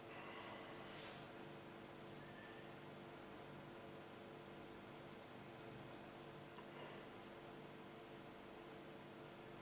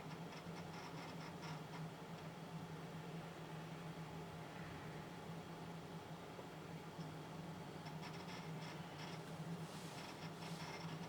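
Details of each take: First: Lenovo ThinkCentre, once flooded, after swapping its old hard drive for a cheap SSD: boot drops from just under 2 minutes to about 22–23 seconds. Only a soft, steady fan hum with no drive clicking or seeking; it runs healthy. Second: Lenovo ThinkCentre, once flooded and fitted with a new motherboard, booting slowly (over a minute) from an old 80 GB hard drive before an SSD upgrade. Quiet spin hum with bursts of fast ticking seeks.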